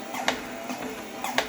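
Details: Torneo Inita T-150 treadmill at 4 km/h walking, before repair: sharp squeak about every 1.1 s on each left-foot step, right side silent; cause was loose deck screws on the left, squeak stopped after tightening them.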